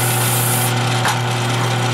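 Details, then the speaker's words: Drilling 1 3/8 in holes in steel plate for a quick-attach plate, with lots of cutting spray: a loud, steady grinding rasp over a constant hum, chewing rather than cutting cleanly, with smoke showing heat. Rough cutting noise; it doesn't sound right. "when you're drilling steel like this on steel I don't know it just doesn't sound right"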